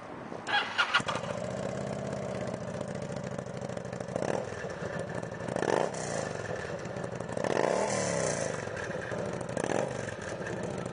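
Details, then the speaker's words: Used 2006 Kawasaki Vulcan 900, fuel-injected liquid-cooled V-twin with belt drive and 16,461 miles; fires quickly and settles into a loping, even idle with a few light throttle blips, nothing abnormal. "We're going to fire it up for you so you can see how she sounds."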